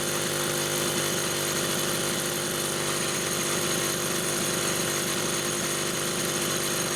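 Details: Chainsaw with Phelon electronic coil, used as a test unit for a repaired SDC carburetor (carb 1), noted rich on the high side: a steady, even high-revving buzz holds without surging or stumbling. Normal running.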